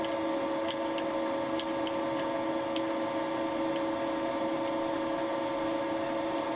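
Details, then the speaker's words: Boring molten plastic lawn mower bearing seat with Wohlhaupter UPA5 head on Thiel Duplex 158 mill, fixed diameter, quill auto feed 0.12 mm/rev, very light cuts; quiet steady spindle hum with faint ticks, no chatter. Normal boring cut. "the head was set to a fixed diameter and the tool advanced with the auto feed of the quill (0.12 mm/rev 5 thou/rev) I took very light cuts"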